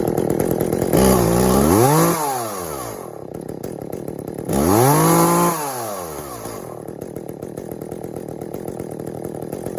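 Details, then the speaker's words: Echo CS400 chainsaw after OEM oil pump replacement (stripped plastic gears): two quick clean revs rise and fall smoothly, then a steady idle; carb tuned from boggy, may still need a bit more (limiters still in); oiling well, normal revving and idle. "All right, we got the Echo CS400, and we just changed the oiler in it. It's oiling really well, and had to do a little tune to it, kind of boggy, and we probably could still use a little bit more"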